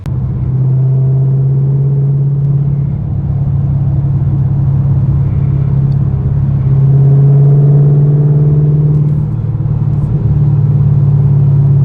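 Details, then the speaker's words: Car with resonator removed, two J-pipes added to cut drone, heard on the road at cruise: low steady hum swelling a little with throttle, no heavy cabin boom; drone much reduced, exhaust tone unchanged. "right there was where all the majority of the drone was and it is so much less than it was before it is crazy it's crazy i can't believe that this like the two j pipes did that much of a difference didn't change the note or the tone of my exhaust at all which is really really nice"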